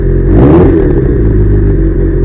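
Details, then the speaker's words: Kawasaki GPZ750 four-cylinder, sat 5 years, previously firing on only 2–3 cylinders due to carbon-fouled spark plugs: after new plugs it revs up and settles into a smooth, even drone with no misfire or knocking. "Oh yeah, that sounds nice and smooth. Very little noise coming from the engine itself. There's no knocking."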